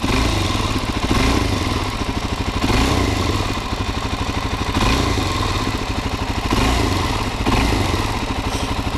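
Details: Stock 2019 Suzuki DRZ400SM with 452 miles, one oil change: single-cylinder thumping with light throttle blips rising and falling cleanly, some valvetrain clatter but nothing abnormal; healthy engine.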